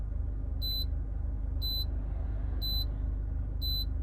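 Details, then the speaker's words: Mitsubishi Colt CZCT convertible (4G15T MIVEC turbo), still on its original turbo: four short high beeps, one a second, over a quiet steady idle after key-off as the turbo timer counts down before shutdown. "maybe one of the reasons it's still on its original turbo"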